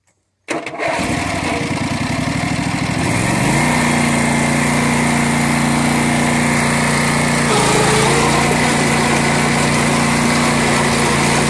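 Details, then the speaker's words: 1990s Sears Craftsman II lawn tractor with factory 16 hp Briggs & Stratton engine, 3" front/5" rear pulleys: starts instantly, brief surge, then steady even single-cylinder beat with constant tone; rips, kicking up dirt, runs right. "as you can hear she just rips i mean you could see it just kicking up that dirt but uh she runs right"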